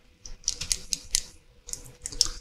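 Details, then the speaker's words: Rotring technical pen after cleaning out diluted ink: light sharp clicks in uneven bursts with each shake, the cleaning wire moving again but not consistently, so the nib is only partly unclogged. "okay I do hear it now it's not consistent though"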